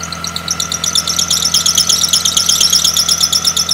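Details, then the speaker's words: Running engine with sharp high chirps about three per second from the drive/serpentine belt; the water-spray test separates a tension problem from pulley misalignment, and a worn, stretched, slipping belt is a possible cause; belt squeal, cause unconfirmed. "if you have tension issues the first thing you should check is the condition of the belt because a worn belt can stretch over time and then start slipping off these pulleys causing you to hear that screeching noise from your engine"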